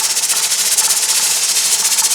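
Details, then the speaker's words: Presto pressure canner holding 7 quarts of potatoes, stove still on high: loud steady steam hiss with a rapid, even chuffing as the weight rocks too hard; left on high it would run out of water and pressure, so the stove is about to be turned down to about 7. "And there's a lot of steam coming out of there. Now we're ready to turn down our temperature. If we leave this on high, we're going to run out of water and steam and pressure, and we're not going to get a good result."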